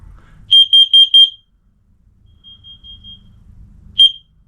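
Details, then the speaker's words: Hardwired interconnected smoke/carbon monoxide detectors, test button pressed: four loud high beeps with fainter matching beeps from a second unit in the living room, voice "fire" and "warning, carbon monoxide," then a chirp; normal alarm test. "Oh. Fire. Yeah, I heard you the first, yay. Warning, carbon monoxide."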